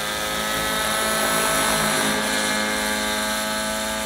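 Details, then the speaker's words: Gaui NX7 helicopter with new Nova Rossi Icarus 91 nitro engine on 30% fuel, during break-in flight: high screaming note sags and roughens as throttle comes in, bogging; midrange mixture set rich. "So I think I am really rich on the mid because it sounded like it bogged down and choked on all that throw fuel when it hit."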